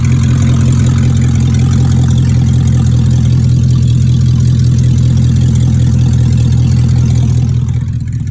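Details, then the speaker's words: 2002 BMW 745i V8, flood-damaged electrics, after power control module swap: very loud deep booming idle drone with heavy throb, far louder than stock; catalytic converters removed and sold, both pipes still connected but uncatted. "And the catalytic converters are gone due to someone selling them as parts. And that's why this vehicle is that loud."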